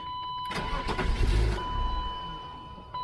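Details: 1996 BMW 328is E36 restarted with a vacuum-leak boot still needing replacement. It cranks and catches, runs roughly for about a second, then dies leaving only the warning chime; it stalls after starting, still smoking, cause unknown.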